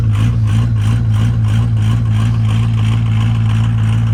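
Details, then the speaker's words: 1973 Ford F700 truck, old worn 6-liter, cold and still on high idle while warming up: steady low diesel rumble with an even, slightly lumpy beat and no knocks; a normal cold idle. "Alright guys, while we're in here warming up, you can hear the old red truck out there chooching on high idle still. She's cold."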